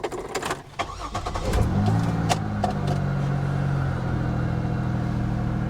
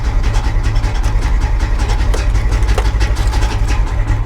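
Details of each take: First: 1980s Pontiac Firebird, long-sitting abandoned car at auction, restart: short crank, quick catch with a small flare, then a settled even idle; started rough earlier but now runs really well. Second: Manual-transmission car at auction, started in neutral with clutch in: lumpy uneven running with irregular surges over a deep rumble; owner wonders if there's no oil pressure, and it kept running with the key out until stalled with the clutch.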